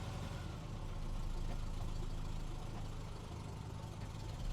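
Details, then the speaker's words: 1988 Ram 50 mini truck with a carburetor, running only with added fuel. Low rumble swells then sags and fades unevenly; engine won't hold idle on its own. Cause unconfirmed. "Nope. Nope. Nope. No, it will not. Yeah. Oh no. It don't run good, but it runs."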